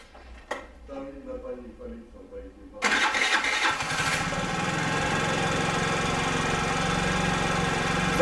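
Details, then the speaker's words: Scooter after rebuild (new piston, cylinder, rings) that started poorly and stalled on throttle, after fitting new sponge air filter: two brief attempts, then fires with half a turn into steady, even buzzing idle; normal idle. "cyclomoteur démarre bien maintenant, avec un demi-tour."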